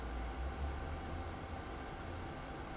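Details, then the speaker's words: DIY 3D-printed soldering smoke absorber, 12 V 120x25 mm fan turned down via PWM speed controller to reduce noise: soft steady low whoosh with even hum, no rattle or ticking, coping well at low speed; fan healthy. "чудово справляється навіть на низьких обертах"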